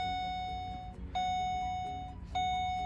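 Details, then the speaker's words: Pontiac G8 build with a steady high ding about once a second, the door-open warning chime. The door had been left open, which was blocking key power and killing everything. "there we go i forgot that i had the door open the whole time so that is what was killing everything"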